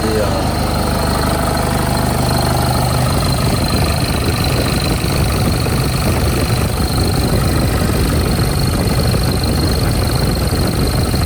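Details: Nissan D22 Navara ZD30 diesel, started after an oil drain plug was refitted: steady, even diesel clatter settling into a smooth idle, no knocks or misses; running normally.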